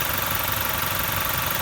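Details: Toyota 1GD diesel, just serviced, about 20000 on it, warm idle: quiet, even clatter with a steady rapid pulse, no knocks or misses; normal healthy idle.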